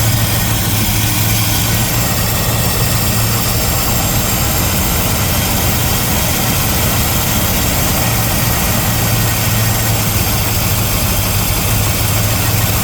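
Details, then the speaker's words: 1975 Chevrolet El Camino stock small-block V8, revived after 10+ years, still cold; steady, even idle rumble with no misses, knocks or surging; normal cold idle. "Running pretty good now. Huh? Still cold."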